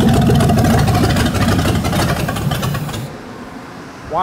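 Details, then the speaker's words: Ford 302 V8 for a 1967 Mustang, started after timing was backed off, fuel line still disconnected: steady low beat for about three seconds, then sags and dies; stalling from fuel starvation. "We forgot to hook the fuel back up. so that's probably why it died."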